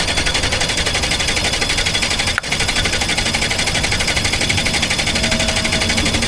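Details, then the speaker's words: Even cranking chug at about three beats per second with one sharp, isolated pop midway, on a Chevy Malibu with 475,000 miles. The pop's source is unknown. The plug is dry despite a smell of fuel, and compression reads 160–170. "Let's hear that random pop sound that I don't know where it's come from."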